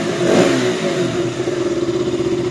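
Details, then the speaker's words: KTM RC 200 after restoring missing grounds to the TPS and coolant sensors: steady, even single-cylinder idle holding about 1500 rpm with no hunting; the fan no longer switches on by itself. "ahora el ventilador ya no se activa automáticamente y miren lo que es el motor mantiene lo que es el mínimo mínimo estable correcto"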